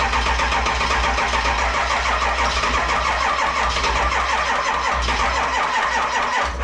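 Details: 7.3 Powerstroke diesel swapped into a 1951 Ford shoebox with standalone wiring, cold start in Minnesota, smoking: steady starter churn with no firing, pace sagging and dying off as the charger trips out; weak battery supply, slow cranking.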